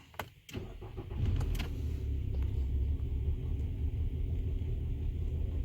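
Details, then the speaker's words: 2015 Nissan Altima 2.5 with P0300 multiple misfire and P0014 exhaust timing codes: cranks and catches, then lumpy wavering idle, shaking badly in Drive. "okay so we have multiple misfire and p00 14 exhaust belt timing malfunction we're gonna start a car"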